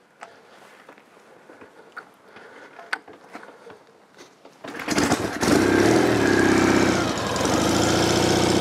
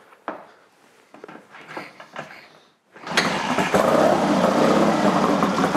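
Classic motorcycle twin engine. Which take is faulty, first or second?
second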